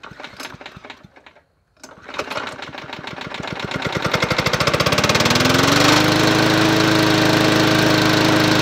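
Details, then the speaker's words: Yard Machines 20-inch P510 push mower with Powermore engine, bought as non-running, started after three primes; runs steadily with a sharp regular knock, owner suspects rod knock, oil smell present; cause unconfirmed. "why that sound like a rod knock well this is going to be very shortlived if that's the case"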